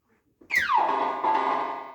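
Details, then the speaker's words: 1978 Stern Nugent pinball with Corey sound board on new ribbon cables, testing whether cables are at fault: clean falling electronic sweep into steady bright tone, no crackle; normal sound board output. "and our sound is back start again okay"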